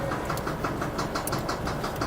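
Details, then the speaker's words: Audi B5 S4, manual-swapped: a heavy, deep, hollow knock about six times a second over the idle, a bad rod knock. "it just has a mean Rod knot uh you'll hear it here when I turn it"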